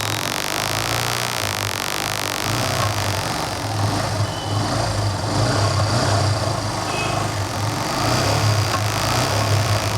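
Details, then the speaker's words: Yamaha FZ-S motorcycle after a complete engine rebuild finished the day before: steady, even idle with a smooth low beat and no knocks or rattles; it holds idle without stalling and the earlier start-up noise is gone. "So బండి అయితే స్మూత్గా ఉంది, చూసారా? ఆగట్లేదు బండి అయితే, బాగుంది, ఇబ్బంది ఏం లేదు ఇక బండి."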